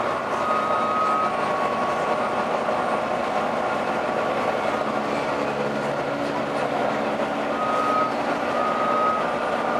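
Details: Arriva Yorkshire Volvo B9TL East Lancs Olympus bus (YJ57 BEO), route 202 Leeds–Huddersfield, driving in service: steady road drone with thin high-pitched howl coming and going; source unknown.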